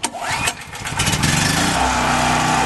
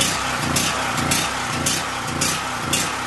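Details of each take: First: Brand-new Powermate PM0143250 3250-watt generator with a 208 cc four-stroke engine, zero hours, warm start without choke: one light pull catches right away and settles into a steady, even run; later powering a 48-watt fan at 120 V, 62 Hz. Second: New Powermate PM0143250 3250 W generator, first start after adding oil and gas: engine surges unevenly nearly twice a second, then cuts out; misfire from fuel starvation because the fuel petcock was shut by mistake.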